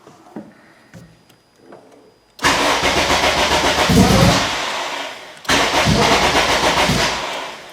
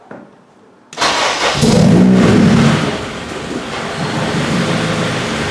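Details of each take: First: Acura RSX cranking with the fuel pump disabled by the JDI Ghost Lock app after a lean stall. Two long bursts of steady starter churning, about three turns a second, never catching: crank no start, no fuel. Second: Acura RSX start after a JDI Ghost Lock install; the fuel pump was heard priming first. Brief crank, then it catches cleanly and settles into a steady, even idle with no misses or knocks: normal start and idle.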